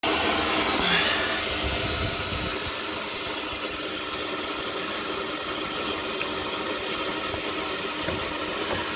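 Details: Exhaust leak found on a cold exhaust pressurized with a cheap blower and checked with soapy water: steady airy hiss over the blower's drone as air escapes the system; exhaust leak.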